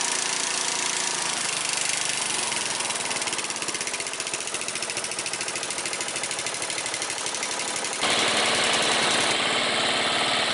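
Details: Small single-cylinder mower engine, started after fixing a no-start from deposit-fouled spark plug: steady quick even beat, about three pops a second, no misses; runs clean.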